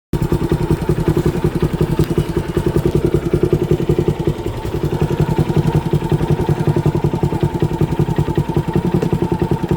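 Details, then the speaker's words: Motorcycle single-cylinder idle thumping at about 160 beats a minute, slightly lumpy and uneven; bike failed to start that day and owner suspects improper airflow from a clogged air filter changed its sound. Abnormal engine running sound. "So నా guess అయితే ఆ air flow అనేది proper గా లేదు అనుకుంటున్నా so అందుకే sound మారిపోయింది నా బండిది"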